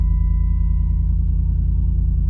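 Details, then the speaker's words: Jeep Commander XK first start and idle right after flashing a Superchips Flashpaq F5 performance file (tire size changed, DTCs cleared): steady low idle rumble with a faint constant tone, no misfire or knock; sounds no different, totally normal. "Doesn't sound any different. Everything seems totally normal."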